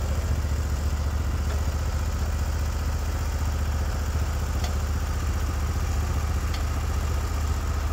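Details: Norwood HD36v2 bandsaw mill, day two testing new roller guides (ceramics replaced), slabbing big black oak through bark, 1.5-inch slabs, about 24 inches wide: deep steady engine drone holding even under the cut, no surging or knocking; cut flat, effortless, normal load.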